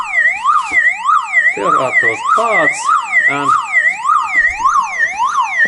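A loud wailing tone sweeps up and down roughly every half second without stopping: the disconnected siren is still running on its own backup battery.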